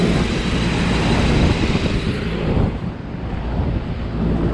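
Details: Rooftop package HVAC unit with the blower compartment opened to draw outside air, relieving the starved return: steady airy rush from the blower with no squeal or whistle over it; the economizer-seam noise is gone and the unit runs smoothly.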